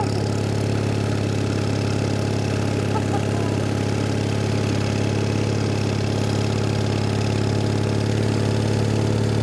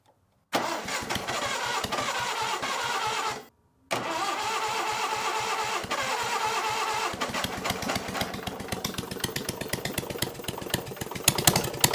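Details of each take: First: Onan engine on a Davis/Case trencher, idle speed lowered a little: steady, even low idle, no knocks or misses; right where it should be, normal idle. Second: Onan engine on a Davis/Case trencher, intake manifold off, started on jump pack: cranks, catches, stops, fires unevenly, surging and fading before stalling; idle mixture too lean, wants more fuel, another quarter turn.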